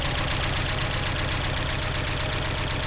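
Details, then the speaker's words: 1983 Porsche 944 Turbo revived after new fuel pump and relay and oil change, freshly started after extended cranking; even regular idle pulse a little over two beats a second, slightly smoking, no knocks, normal idle. "well she's smoking a little bit but she does run and drive and move so that makes me happy"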